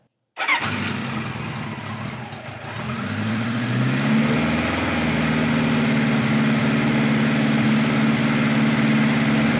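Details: 1973 Kawasaki Z1 900 with new 4-into-4 exhaust, cold-blooded: fires on first crank, a little lumpy, then a steady, even, slightly fast idle on some enricher, then enricher fully off; still runs well.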